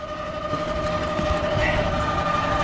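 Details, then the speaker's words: York rooftop unit making a loud noise heard inside the store, recorded on the windy roof: a steady high-pitched squeal over a rough rumble that never eases. The blower bearing has completely failed. "and it sure sounds like it's making some noise to me windy up here [Music] that ain't good the bearing is completely gone"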